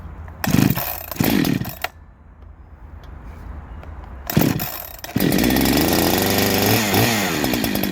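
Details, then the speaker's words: Husqvarna 372XT chainsaw, dead cold, after rebuild with new piston, machined squish for more compression: quick cord pulls, then fires and settles into steady crisp buzzing idle without misses; normal, snappier start-up. "So I'll start it up, it's dead cold. I think there's a feel in there though. But it's more snappier."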